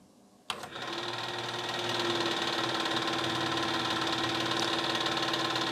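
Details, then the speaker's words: Nakamichi LX-3 cassette deck, stored unused then developed noise: motor spins to a steady whir with a faint rhythmic knock about three times a second during fast forward/rewind; owner suspects the idler, unconfirmed. "and now just listen did you hear that and it makes this noise with the fast forward rewind and all of that"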